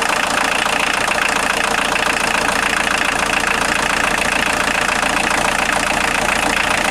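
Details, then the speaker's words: Steady, even idle clatter from a 1990 Volkswagen Jetta Mk2 1.6L diesel with no squeal or chirp, started after an alternator belt drive repair and modification; the belt drive is quiet and healthy. "I'm going to start it up now and see if it squeals any if it does I'll tighten the belt up a little bit try it again"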